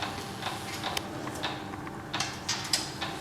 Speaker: that noise that clicking noise is the um the pump basically setting the pressure in the reservoirs